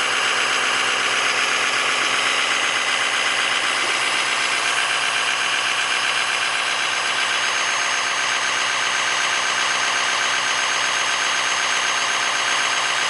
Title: exhaust leak at cat flange